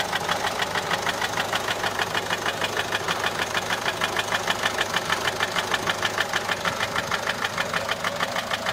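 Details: Peugeot 407 1.6 HDi 90 diesel at idle: sharp, very regular ticking knock, about three per second, steady throughout. Noise began after a road drive, with slight white smoke from the rear. Mechanic suspects tappets (poussoirs) or camshaft, unconfirmed.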